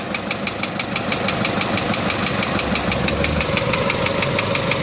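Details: Isuzu Elf 4HL1 diesel with ECU, after fixing a crank-but-no-start fault: steady idle with an even light clatter, about two ticks a second, no misses or hunting. Running normally.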